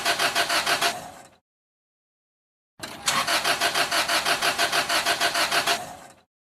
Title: Car Won't Start - Cranking No Start Engine Problems